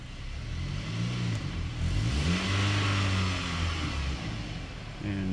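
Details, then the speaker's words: 2017 GMC Canyon/Chevy Colorado 4-cylinder automatic, no trouble codes: revs climb and sag with no movement in reverse, long delay into drive, then a harsh slammed engagement; automatic transmission slipping in reverse and forward. "I put it reverse it's slipping shows it in reverse it's not moving and here's Drive who it did kick into gear finally large delay"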